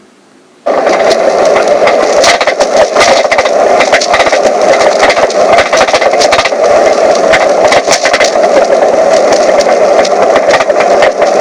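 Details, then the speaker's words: Mazda 3 being driven: steady road noise broken by frequent irregular knocks, rattles and clunks from the right rear passenger-side wheel area, caused by a corroded, broken rear shock mount. "here's an example of what it sounds like driving your Mazda 3 with a broken shock"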